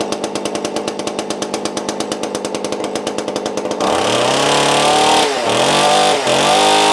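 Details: Tanaka ECS-650 two-stroke chainsaw after fixing stalling from a vacuum leak at loosened carburetor mounting, resecured with blue Loctite: fires in quick steady pops, then runs smoothly with clean rev rises and drops; running normally.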